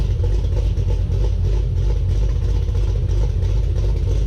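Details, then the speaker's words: 2017 Camaro ZL1 V8 with a small cam, catted exhaust with mufflers, deep steady burbling idle with gentle lope, even and not loud; sounds healthy, windy outdoors. "I think it sounds really, really good for what it is. I really do. Sounds good. And this is a catted exhaust system."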